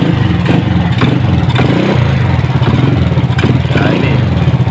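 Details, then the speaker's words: Honda Supra X motorcycle: rough busy idle with fast metallic clatter on the engine beat; cam chain appears to be hitting and its tensioner is slack, so the cam chain will be replaced. "ini keluarnya bunyinya kasar dan tadi kayaknya saya lihat tuh kampratnya kena dan juga klubnya agak renggang"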